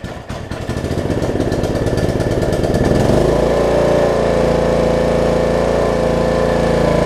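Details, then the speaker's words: Snapper rear-engine riding mower, repaired after bad gas; the fuel was thought to have been caught before it reached the crankcase. About three seconds of rhythmic cranking, then it fires and holds a steady, even engine note: normal start and run after repair. "i'd say that's a success second pull make sure it runs and or dries and cuts like it should do good"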